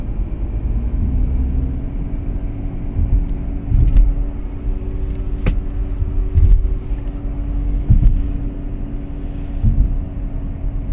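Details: Audi A4 B8 Avant while driving: a deep, constant hum and rumble, steady with road speed over the tyre noise. A worn wheel bearing, replaced with an FAG wheel bearing repair set.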